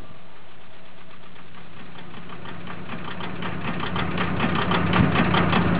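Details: VW Golf Mk4 TDI diesel idling with a loud, uneven knocking clatter that grows rougher as it goes; rough idle.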